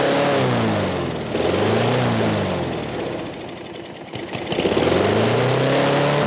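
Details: Craftsman 6.5 HP 21-inch push mower, trash-picked: engine pitch swings up and down every few seconds, hunting without settling, because the carburetor governor arm is stuck; later freed with PB Blaster.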